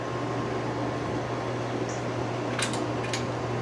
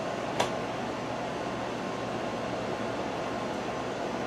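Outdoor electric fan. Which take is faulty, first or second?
first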